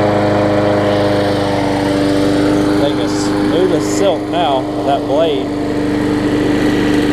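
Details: Bolens big-wheel mower after a new coil, cleaned contacts and a new sharpened universal 22-inch blade; steady, even drone with no wobble or rhythmic blade thump, running smooth and balanced.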